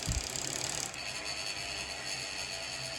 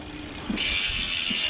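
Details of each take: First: you can hear the bearings in there they're not smooth at all and i mean usually they used to spin forever Second: Dolan L'Etape SL Disc road bike rear wheel coasting: loud, fast, even freehub buzz, healthy ratchet clicking crisply, though the wheel bearings are said to be rough and not smooth.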